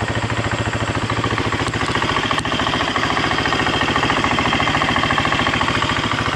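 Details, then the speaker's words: 2015 Husqvarna FE350S single-cylinder four-stroke just after top-end rebuild (piston, cam chain, aftermarket tensioner), warming up with fingerprint oil smoking off: crisp even idle, steady quick beat, no tapping or rattle; healthy. "you want to make sure you run it long enough that all that extra like oil from your fingers and all that stuff burns off."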